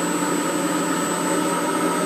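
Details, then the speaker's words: Dust collector blower with panel-type wheel on test run, driven by a VFD at 60 Hz, about 70-something dB: steady blower rush with a thin high whine and low buzzing from the drive; normal. "That's how loud it is at 60 Hz. It's uh 70 something dB."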